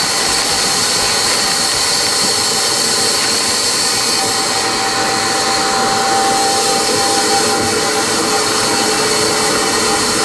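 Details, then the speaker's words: Insulation blower machine during house renovation, blowing loose-fill insulation; steady rushing roar with even hiss, no knocks or surging, quieter while carrying material than when emptied; running normally under load. "when the stuff's coming out it blows pretty nice and then when it emptied out there really started blowing making a lot of lot of wind movement up here it's a lot quieter when it's blowing stuff"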